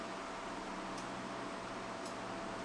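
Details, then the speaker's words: Cut50L plasma cutter on a CNC plasma table, low-frequency start, cutting 1/8 inch mild steel: steady, even hiss of the arc with no crackle, sputter or stutter; clean normal cut with minimal dross. "no electrical interference on startup so definitely low frequency start for not even optimizing the travel speed or torch height this part had minimal draws"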